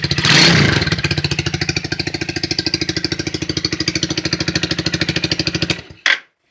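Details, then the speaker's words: 2008 Highbird 200cc four-wheeler, briefly warmed after cold start, off choke: even, quick single-cylinder pops swell on a throttle blip, hold a steady beat, then cut off; normal revving. "We'll give it a second, let it warm up just a little bit, and we'll give it a couple good revs and let you guys hear it."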